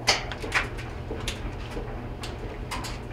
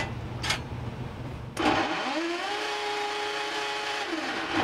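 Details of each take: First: Whirlpool WGD4900XW0 gas dryer after repair for loud grinding noise during operation, running with clothes; low steady hum under soft irregular thumps of tumbling clothes, no grinding or scraping; running normally. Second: Whirlpool WGD4900XW0 gas dryer, complaint of a loud noise during operation: on startup a loud droning hum rises to a steady tone with a rough rushing edge from the rear blower housing; debris that fell through the lint filter is rubbing the blower wheel.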